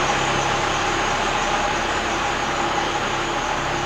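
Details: Old 4-cylinder Cummins diesel flatbed truck with dual stacks: steady, even diesel idle with deep exhaust rumble through twin stacks, no knocks or misses; normal diesel idle.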